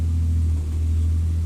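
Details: Toyota 2JZ naturally aspirated inline-six after a one-day bottom-end rebuild for rod knock, first start without radiator: normal running, deep even drone with no knocking or tapping, oil pressure restored.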